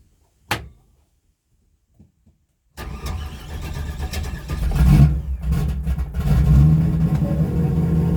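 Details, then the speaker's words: Carbureted engine after conversion kit mod with vent tube extensions fitted to the float bowls: click, pause, then engine catches and settles into a steady even idle with a slight blip; throttle response improved; normal start and idle. "that's beaut I love it I really love it"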